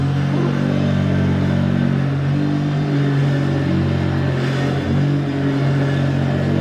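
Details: Hoover vacuum cleaner, hoovering: loud, rough droning motor with a harsh buzz and rattly edge throughout; it works but sounds bad.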